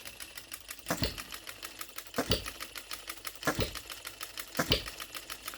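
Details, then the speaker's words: OKMO Retrol B02 miniature petrol hit-and-miss engine on shellite, very first start, straight out of the box with no adjustments: sharp firing bang about every second with light ticking while coasting; smooth, steady, healthy hit-and-miss running. "What a beautiful miniature hit and miss engine."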